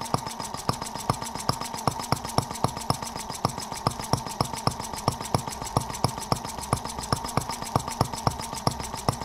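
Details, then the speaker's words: Microcosm R18 model of the 1886 Benz Motorwagen engine, first run after unboxing: crisp, even ticks about four a second over a steady whir, super smooth with virtually no vibration. Normal running. "So yeah, a very, very, very interesting little engine. Amazingly smooth. I mean, super smooth running. I mean, virtually no vibration at all."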